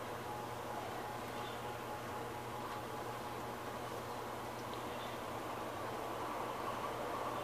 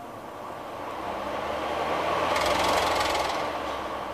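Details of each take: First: ARGE MAX50C 50 cm pedestal fan (160 W, 127/220 V) starts up very weakly with a low hum; speed rises only slowly and never reaches the fan's maximum, because of a failing run capacitor. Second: ARGE MAX50C 50 cm 160 W pedestal fan after replacing the bad capacitor with a new one: the motor spins up quickly and smoothly to full speed, faster than with the bad capacitor.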